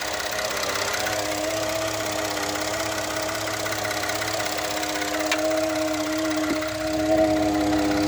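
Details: 2013 Ford F-150 EcoBoost idling in park with a faint, uneven buzzing vibration rattle over the engine hum, then it stops; dealer couldn't duplicate it; also vibrates between gears when shifting.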